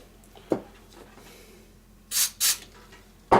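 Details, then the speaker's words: Lafayette/Univox U65RN solid-state amp, knob turned: short dry scratchy rasps with quiet between, grittiness growing louder; dirty potentiometer, later cleaned. "I don't know if you can hear that. It's like a grittiness."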